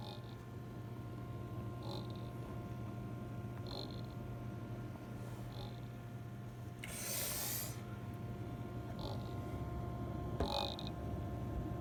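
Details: ASUS RTX 2080 Super graphics card fan noise: steady low hum with faint light ticks about every two seconds and one brief rushing burst; abnormal fan noise, cause unclear.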